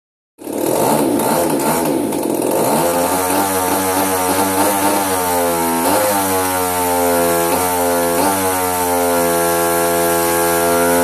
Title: Hobbyking RCGF 30 twin misfiring: faulty ignition